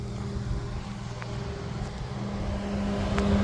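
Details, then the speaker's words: 2003 Ford Taurus SE wagon, about 200,000 miles: radiator cooling fans running via owner's manual-switch harness, steady even whirring hum; fans won't turn on by themselves, owner suspects stuck-open thermostat. "and you can hear the fans going in there so you know I honestly don't know why they don't turn on"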